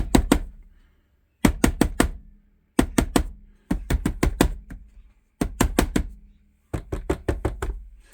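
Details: 1975 Sony TC-136SD cassette recorder, gummed up; clusters of four to six sharp knocks about every second and a half over silence, VU meters pegging: intermittent knocking inside the deck, cause unknown.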